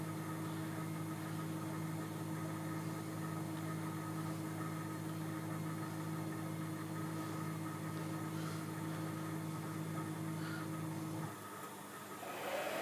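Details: Sieg KX3 CNC mill cutting a logo with a center drill: a steady low whine with a clear tone while the table feeds, cutting off cleanly at the end. This is the normal stepper motor drive noise.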